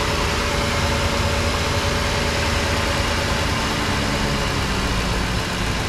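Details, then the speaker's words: 2010 Ford F-150 5.4 V8 dealer said needed new engine, first start after reinstalling spark plugs and coil packs: even low rumble, no misses, knocks or ticks; normal idle. "seems to be running pretty good"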